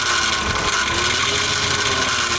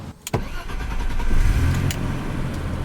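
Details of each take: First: Barn-find BMW E34 running after electrical repair: a steady high whine rides over the idle, pointing toward the accessory drive; owner suspects a loose pulley and judges it not roadworthy with that noise. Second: Barn-find BMW E34 after the torn idle control valve boot, a vacuum leak, was patched with electrical tape: the engine catches after a brief crank and settles into a steady, even low rumble with no stumbling; normal idle now.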